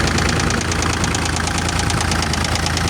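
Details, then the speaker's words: Cat CB24B diesel after a no-start caused by the starter plug coming loose, probably from vibration; with the plug refitted it starts and idles steadily with a light regular clatter of about three beats a second, no misses. "Ve marş yapacağız şimdi. Ve makinamız çalıştı."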